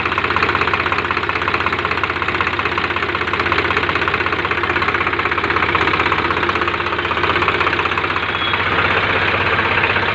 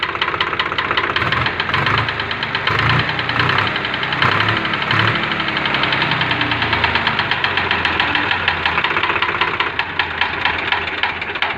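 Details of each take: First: Swraj 735 tractor diesel that overheated and seized from a lack of clean coolant, restarted after repair: steady, even clatter at idle with no loud knock standing out; normal idle. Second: Swaraj 735 tractor diesel that overheated and seized, idling: loud, harsh rapid knocking from a scuffed piston against its liner; engine to be opened, piston no. 2 expected to be seized, possibly others.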